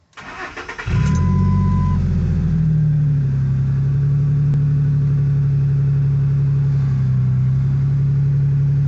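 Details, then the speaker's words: 2005 Ford F-150 after replacing the A/C compressor pulley bearing: engine catches quickly and settles into a smooth, steady idle with no squeal, chirp or rattle from the belt-driven accessories; repair successful. "Sounds good guys, sounds real good."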